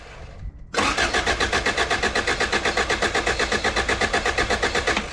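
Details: B-series swap into 88-91 Honda Civic/CRX with refreshed head, distributor disconnected: steady starter whirr with even compression pulses about four per second, no firing, cranked to prime oil; oil pump confirmed good.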